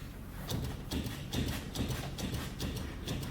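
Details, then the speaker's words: 1998 Toyota Tacoma 4WD with 257,000 miles, wheel rocked by hand: dull rubbery clunks about twice a second with large play; upper control arm bushing completely worn and rubbing on the main through-bolt, upper ball joint boot also ripped. "so you hear the rubber bushing right here completely worn and that sounded noise it's rubbing it that main bolt which come through the whole assembly"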